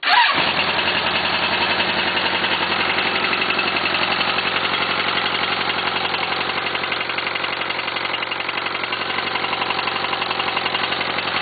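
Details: 1st-gen oil-cooled Suzuki GSX-R engine at idle: sharp, regular metallic knock about four per second; rod on cylinder 1 bent after hydrolock.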